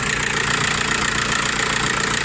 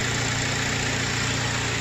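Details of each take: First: Audi/VW-group engine (title names alternator as cause of abnormal noise, since repaired): steady, even idle with a light regular tick, no whine or rattle; engine idling normally. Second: Audi A4 B7 or VW Golf 4/5, Seat or Skoda engine running with a constant high-pitched whirring whine steady over idle; annoying engine noise traced to the alternator, worn alternator bearing, repaired.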